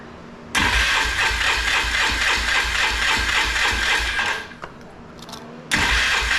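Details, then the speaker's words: 2005 Polaris Trail Boss 330 that hasn't run in years, after cleaning the carburetor bowl, with choke out and petcock on reserve: steady rhythmic cranking, about four strokes a second, with no catch. Owner suspects the vacuum fuel pump needs priming or is faulty. "so sometimes those are vacuum operated fuel pumps on these and there's a lot of fuel Lin so sometimes on these it takes a little cranking to get fuel to the actual carburetor you have to prime it up"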